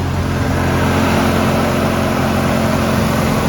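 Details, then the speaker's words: 1996–2001 Ford Ranger 2.5 manual idling in neutral while warming up, after a valve cover gasket replacement and throttle body cleaning: a steady, even, smooth idle with no knocks, ticks or misses. Healthy. "Sounds pretty good with that throttle body cleaned up."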